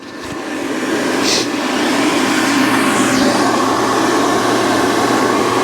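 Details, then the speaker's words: 2017 Central Boiler Classic Edge 550 outdoor wood boiler, combustion (draft) blower just replaced, mic held up to the fan at power-on: it spins up in about two seconds to a smooth, even whoosh with no rattle, far quieter than the old rickety blower. "Heck, it's running like a turbo engine now. So as you can hear, the blower is now very, very quiet compared to the rickety sound it was making before."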